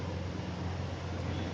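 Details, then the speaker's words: Vibrating air cooler fan after balancing the blade with a small weight (an extra half-gram weight had caused noise and was removed): smooth, steady low hum with no wobble or rhythmic thumping; blade balanced, running normally with no vibration. "अब देखिए बिल्कुल स्मूथ चल रही है, अब इसमें कोई वाइब्रेशन नहीं है।"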